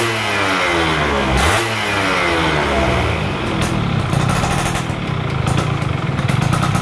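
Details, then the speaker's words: Stock Yamaha F1ZR 110 two-stroke during wet carburetor tuning, air screw about 2.5 turns out: revs blip up cleanly and drop back with no stumble or hesitation; crisp, responsive throttle and a healthy setting. "untuk motor ini E saya dapat setelan angin itu di putaran dua lewat dikit ya 2 setengah ya baru bisa naik RPM atasnya baru teriaknya mentok"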